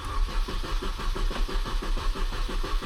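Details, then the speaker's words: Mini Cooper S R53 with fuel pump fuse removed before fuel filter replacement, sat overnight: steady starter cranking with no catch or firing; cranks but won't start, no fuel pressure. "Perfect. It doesn't even start as it has been sitting overnight and the fuel pressure is gone."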